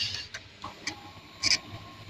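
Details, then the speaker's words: Kawasaki Z250FI at idle during TPS adjustment. Several short, sharp creaking "kret kret" clicks at irregular moments from the sub-throttle servo, with a lawnmower in the background. Normal sub-throttle servo clicking. "Eh ini engine kita nyalain ya Anda bisa dengar suara ini adalah suara dari eh dari sub Throttle eh servo"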